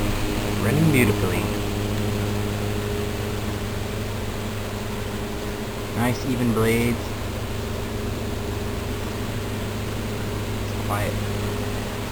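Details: 1907 Westinghouse style 60677 tank fan, 60-cycle 100–110 V AC motor run on DC after restoration with rewiring and re-sealed windings. Steady low hum and even whir, no ticks or scraping. Other fans run in the room. Normal running.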